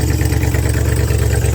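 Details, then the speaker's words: Deep, even idle rumble with no knocks or misses from a 1978 Ford F-350 ex-U-Haul truck, fired right up, run briefly without radiator; sounds like a healthy engine. "But it sounds like a healthy engine."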